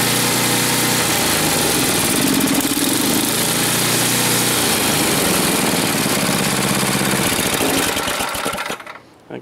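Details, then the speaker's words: Snowblower small engine, still running. It holds an even, steady beat for about eight seconds before being shut off; running healthily. "check this F out here again sounds like it's still going so that's a good thing that is a good thing"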